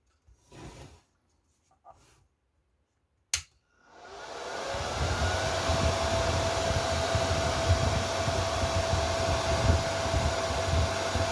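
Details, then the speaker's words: Chinese inverter welder labelled 'made in Germany' (board dated 2019), unused then failed: powers on and the fan spins up, but the relay never clicks in, so it can't weld; the PTC thermistor heats; a fault in the Zener-driven 24 V relay circuit is suspected. "Machine is turned on, but can't weld because relay doesn't turn on."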